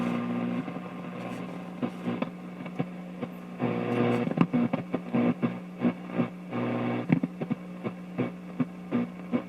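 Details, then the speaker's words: Crosley 817 radio under restoration, not aligned, resistors and some capacitors not yet checked, broadcast band, better at the high end; hissing static surges and drops in uneven bursts, no station received, nothing but noise. "sounds like station's coming in but nothing but noise that's all it is"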